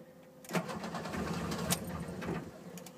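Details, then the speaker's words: Classic car with Spica mechanical injection pump, warm with temperature gauge near 180: starter churns steadily but engine turns over without firing on repeated attempts; hard warm start, sometimes catches; battery light on while running rough. "there's temp number two attempt number three we might be good we might not sometimes she decides to catch"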